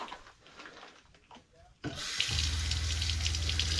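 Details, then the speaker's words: Van fresh-water system with Shurflo pump and accumulator: water pours steadily from the sink faucet into the drain over an even low pump hum, with no sputter, drips or leaks after the fittings were retightened; normal flow and drain. "drain is looking good no drips is draining well"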